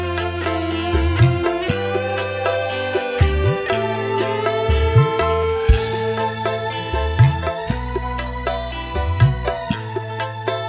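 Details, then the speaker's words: Polytron PAS 68 active speaker, which shut itself off after about 15 minutes when hot; after repair of a cracked solder joint, music plays clean with crisp highs and firm bass, and the earlier raspy midrange is gone. "Di sini untuk suaranya normal teman-teman, normal, jadi tidak serak, tidak ngebret. Dan untuk suara seraknya tadi juga sudah hilang ya teman-teman."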